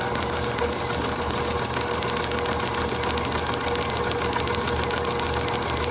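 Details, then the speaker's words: Rebuilt IHC magneto from a Farmall MD, for an International TD-6 crawler, on test: rapid, even spark clicks as the points open, over the motor's hum, no gaps or skips; magneto sparking strong and steady. "Man, that is fantastic. That is like rock steady. I know on the video it's probably not looking as steady, but you can hear by the clicking that it is not missing a beat."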